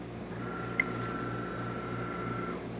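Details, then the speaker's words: DeLonghi coffee machine test short coffee after service with new generator, replaced brew unit and deep clean: steady low pump drone with a thin, even whistle and no knocks or rattles. Brewing normally. "As you can hear and see, things are running correctly, following to the tunnel over here, going into the brew unit, where the brew unit basically expands, and it will just fill up this little pocket."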